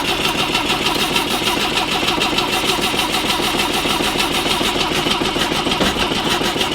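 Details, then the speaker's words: BMW 2002 engine first start since about 1987, not run in roughly 30 years: fast, even buzzy firing with steady rhythm, no knocks or rattles, revved up right after starting; sounds pretty good, healthy running. "It sounds pretty good though."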